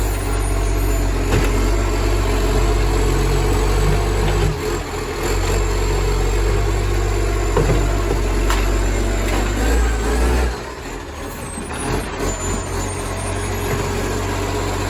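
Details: Spare garbage truck FN11487, 22m flat-faced Acco cab diesel: loud raw roar with rapid chuffing pulse from a massive exhaust leak, recorded from exhaust side.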